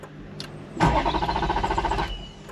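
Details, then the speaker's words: Ferrari 430 Scuderia, rebuild after wreck, after battery reset, fuel light on despite fuel: starter spins engine with quick even chug about a second, F1 pump audible, never catches; tripped fuel cutoff switch. "oh we got movement not firing up mate uh I could hear the fuel pump going for the F1 system it's not fuel pump you can hear the F1 pump going"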